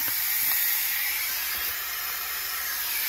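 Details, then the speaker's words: 2010 Audi A4 2.0 turbo with rough idle and random misfires, leak-down test, engine off: steady airy hiss heard at the dipstick tube from air slipping past the piston rings, though leakage reading was good. "can hear a little bit through there you know past the Rings but that was actually reading pretty good"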